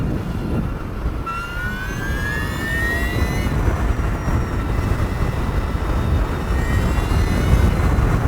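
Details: Energica Eva Ribelle RS electric motorcycle pulling hard: a high whine climbs steadily in pitch over heavy wind rush; normal straight-cut gear whine under acceleration.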